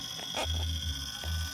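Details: Old desktop computer powered up for the first time in years: steady high-pitched electronic tone without a break as soon as power comes on; something is faulting, cause unknown.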